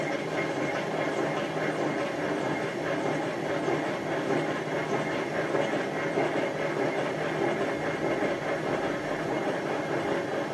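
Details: Hotpoint FEW12 washing machine on spin: loud rough train-like roar, drum not running straight and never reaching speed; badly worn drum bearings.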